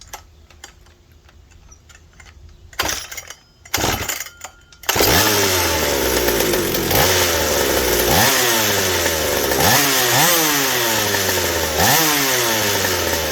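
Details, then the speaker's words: McCulloch 790 chainsaw fitted with a McCulloch MC101 kart engine, expansion pipe and 3D-printed carb adaptor: repeated blips climb to a clean screaming top speed without four-stroking; carburetor cannot deliver enough fuel at high speed, running lean. "but it's not fitting enough on the high speed i can't get it to four strokes so the carburetor works but still the same issue"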